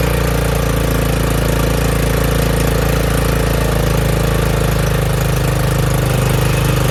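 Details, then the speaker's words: Craftsman RER1000 riding mower after a new fuel filter and a battery charge, oil slightly overfilled: steady, even single-cylinder beat at constant speed with no stumbling or knocks; normal running. "I don't think it's ever run like this before. Turn off a little bit of oil. I overfilled it. Sounds really good. Fixed. Runs pretty good now."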